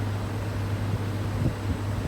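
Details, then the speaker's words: Air conditioner after replacing a failed capacitor (read 48.8 nF): steady even rush of fan air over low compressor hum, no rattles or surging, pressure settling near 125 psi; running correctly. "está trabajando de forma correcta escuchen el ventilador realmente me sonaba hace rato"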